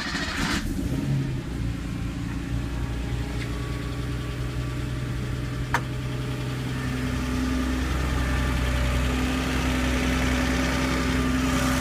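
Air-cooled flat-six idling with a fast light ticking riding over the rumble, about three a second; top-end noise, cause not confirmed.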